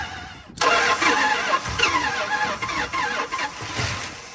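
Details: 1970 Dodge D100 383 big block, sat 30+ years, first start attempt with brake clean down the carb, no throttle, slow cranking: catches then sputters in uneven bursts, never running steadily; fuel-starved carburetor, later found with stuck throttle shaft and debris in bowl.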